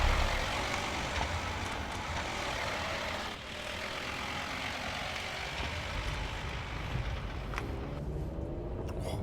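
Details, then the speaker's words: VW T5 van over 20 years old, after suspension repair that previously clunked even on smooth roads: steady road and engine rumble while cruising, with no rattles, clunks or squeaks from the suspension. "Nó cho cảm giác chặt chẽ hơn. Nó có cảm giác như một hệ thống treo cứng cáp hơn, chắc chắn là ít tiếng kêu hơn. Trên thực tế, không có tiếng kêu, thật tuyệt vời. Không có tiếng kêu cót két."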